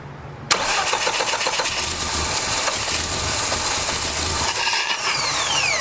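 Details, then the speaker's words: 1989 Dodge Daytona ES, throttle-body injection: rapid cranking catches into a ragged uneven run that never settles; it wants to run but a leaking injector, possibly with a stuck-open fuel pressure regulator, floods it; injector to be swapped from spare throttle body. "seems like me is just flooding it out yeah we're gonna have to change that injector you can see it's just leaking"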